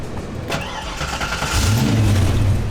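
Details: Ford Mustang Foxbody after ignition lock cylinder replacement, battery reconnected, clutch pushed: brief cranking, then the engine catches and settles into a steady deep run; clean, healthy start; ignition switch still needs fixing.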